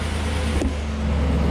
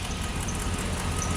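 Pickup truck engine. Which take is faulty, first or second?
second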